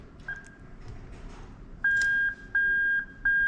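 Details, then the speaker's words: Bench test of a 1995-96 LS400 1UZ-FE to IS200 plug-and-play harness, reverse plug shorted out: a clean, high single-tone beep repeating about once a second; the reverse warning chime is working normally. "This is your reverse plug. Once we short this out, you should hear the chime of reverse."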